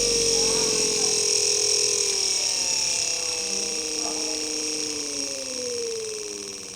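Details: 12V DC 775 motor with no gearbox (datasheet possibly about 1290 rpm at full) on a PWM module, pot turned down from full: a steady high whine with a fixed PWM hiss falls smoothly in pitch; the motor slows evenly, as normal.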